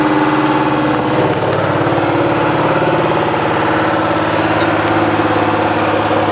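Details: Washing machine on spin: deep, heavy diesel-like rumble with throbbing vibration hard enough to wobble the machine; new shock absorbers didn't fix it, cause found to be a broken drum bearing.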